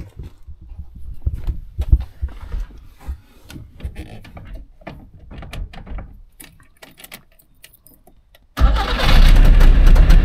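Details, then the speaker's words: Trabant 601 two-stroke, recently bought, previously held no idle at all: starts instantly without choke, buzzes loudly at a fast idle, roughly holds idle, then stalls again; better than before, idle still unstable. "Okay. Schon mal angesprungen, hat auch halbwegs Standgas gehalten. Ist natürlich jetzt wieder ausgegangen."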